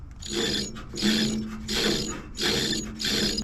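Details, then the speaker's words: 1946 John Deere BN running with the fan belt disconnected: scratchy grinding swells come round about every second and a half over a faint hum, sounding like something scratching inside. Worn generator bearings are causing the grinding. "well that squeaking grinding noise was definitely coming from the generator see if you can hear"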